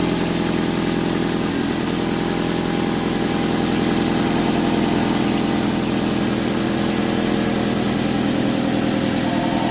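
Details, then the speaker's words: 2003 Nissan 2.5 replacement engine on its first start after a dry crank, rough idle with a fast puffing tick about three or four a second; exhaust leak, gasket suspected bad or flange needing tightening. "okay it looks like it has a bit of hot sauce leak you can see it fired up so what I'm going to do is on see what's going on with the exhaust think maybe the gasket is bad"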